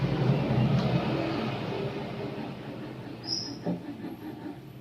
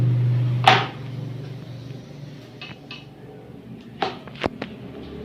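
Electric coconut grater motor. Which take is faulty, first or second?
second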